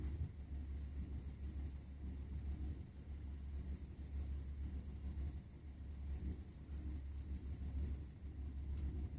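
A low, steady rumble with slow surges keeps rolling under the running boiler; burner combustion rumble of unknown cause.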